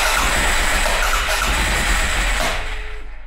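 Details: 2011 Arctic Cat 700 EFI ATV, first start attempts after reassembly, customer had already replaced the fuel pump: fast regular cranking near four beats a second that never catches; hard starting.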